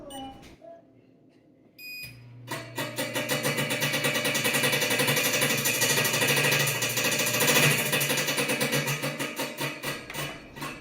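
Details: Wonder Oven Pro running a fan cycle: steady motor hum with rapid harsh metallic banging and scraping like sheet metal, the fan scraping its housing; likely fixable by adding three 8 mm washers.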